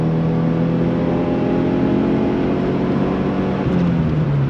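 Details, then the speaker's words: 2000 Subaru Impreza 2.5 RS on a road test at full throttle right after replacing all four badly worn spark plugs, fitted to cure a shudder and misfire above 4,000 rpm; steady, even pull with no stumble. The new plugs fixed it. "Didn't even miss a beat, so let's take it on the test drive real quick and see if it still does the thing. If it does, I'll get the fuel filter. All right, here we go. Yep, full throttle."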